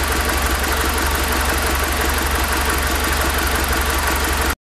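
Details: BMW E46 318i petrol engine idling with an uneven rattle-like knock over the hum; cause not identified: abnormal engine noise.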